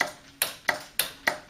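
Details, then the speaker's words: Ford Cortina Mk3 during restoration, wiring loom reconnected with hazards and heated rear window on: crisp, sharp clicks about three a second on a quiet background; headlamp relays switching normally. "buzzards are on heated rears on you can hear the headlamp relays clicking now listen"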